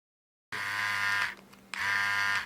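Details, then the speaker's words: Philips QC5380 trimmer after repair of non-moving blades and after oiling the blade: clean, steady high buzz in two bursts with no grinding or stalling, sounding different than before oiling; runs freely. "you can hear, it sounds even differently."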